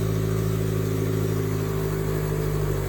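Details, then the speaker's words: 1977 Chevy LUV, first real start after 18 years off the road, idle screw being turned down: steady even engine hum at a brisk idle with no dips; idle speed still set slightly too high. "still a little high just crazy this thing was last tagged in 2006"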